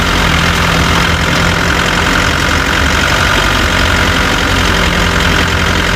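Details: Chevrolet Tavera diesel at steady idle: uneven rattling knock riding over it; owner reports a khatpat knocking sound that 10 mechanics could not diagnose, source unknown.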